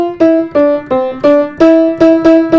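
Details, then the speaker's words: Upright school piano in storage: repeated mid-range notes sound thin, lacking body, short dull decay; bass also thin; poor mid-tone that can't be fixed. "very thin sounding bass is potential but you can't do anything really about this mid-tone which is the most important area"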